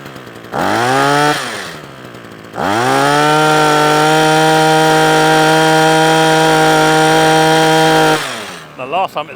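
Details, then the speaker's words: Parkside two-stroke hedge trimmer after a new carburettor diaphragm and a cleaned fuel screen: quick rev, drop, then a clean high buzz held steady with no surging or cutting out. It now runs properly where it used to cut out after two or three minutes. "right so that's a Parkside hedge trimmer now all up and running and doing exactly what it should do"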